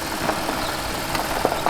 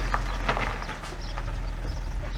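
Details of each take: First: Audi A8 D3 V8 after rebuild of a failed head with bent valves and broken tensioners: smooth, even idle with only a light injector tick, no knocking or rattling; engine now runs healthy. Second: Audi A8 D3 engine, earlier rebuilt after bent valves and broken tensioners: at idle a hard, diesel-like clatter rides over the engine note, staying busy and fast; sounds like timing chain slap from a stuck tensioner.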